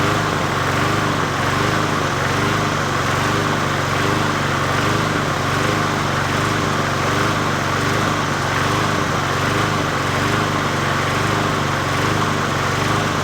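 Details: 20" Murray push mower #20201D after straightening its wobbling crankshaft and cleaning: the single-cylinder engine runs steadily with a mild rhythmic surge about once a second and no knocking or rattles; the owner notes it could be low on gas.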